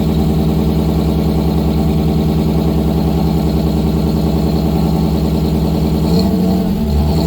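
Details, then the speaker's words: 1955 GMC 100 with freshly rebuilt 327 small-block, first start on a fresh battery after priming the carburetor: steady, even low rumble, smooth firing, no knocks or ticks at fast idle; normal running. "I would say that's a success. I got a lot to clean up. Quite a few more things to do on the truck, but it runs."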